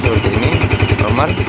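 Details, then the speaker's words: Yamaha Vixion single-cylinder showing MIL code 46, started before electrical checks: even, steady thump about ten beats a second, no knocks or misses; engine itself idles normally. "Apakah motor ini normal ya hidupkan Oke untuk hidupnya Ya seperti ini ya"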